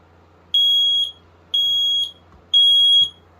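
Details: USI 7795 smoke and carbon monoxide alarm on test: loud shrill high-pitched beeps, about half a second each, three in a row once per second; horn sounding normally.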